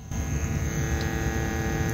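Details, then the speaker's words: 1971 Philips model 1530 cassette recorder on fresh carbon-zinc C cells: a steady low hum with a rough motor-like buzz comes through the speaker alongside the noisy motor, so the amplifier works. "yeah it's coming out of the speaker it is working"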